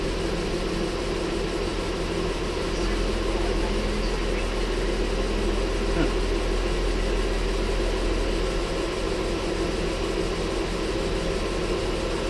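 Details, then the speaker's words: Ford Flex 3.5 after water pump and timing component replacement (oil leak, coolant loss, P0016), idling close to 40 minutes to an hour, just reaching operating temperature: smooth even low idle, no knocks, ticks or misses; healthy. "Okay, it's been running now for close to 40 minutes, pushing an hour. Been just letting it sit here idle."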